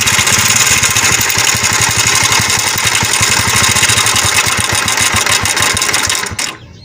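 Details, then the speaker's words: Honda CD70 motorcycle idling: a fast, loud clattering from the top end, about four a second. The timing chain tensioner and small sprocket are worn away, and the timing chain and sprocket set needs replacing. "यह दोस्तों इसकी आवाज आपने सुनी होगी मेरे दोस्तों यह आवाज किस चीज की दोस्तों यह सिंपल सी आवाज आपको बता रही है वाज तौर पे दोस्तों इसकी हम टाइमिंग चैन और गोड सेट हम इसकी रिप्लेस करेंगे"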